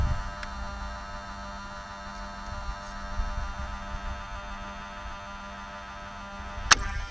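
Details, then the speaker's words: Mercedes 600 with repaired throttle bodies, ignition on, engine off: steady low electric buzz with a clean tone as the throttle body runs its normal learning cycle with the E-gas module. "alright so put an ignition just like now first thing you hear is the buzzing noise"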